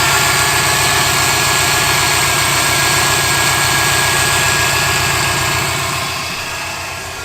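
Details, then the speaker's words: Subaru WRX, idling: steady high whine over an even idle that doesn't change; owner unsure of the source and suspects the clutch release bearing. "The Subaru has been making this whining noise. I'm not sure what it is. I'm thinking it's the clutch bearing, maybe."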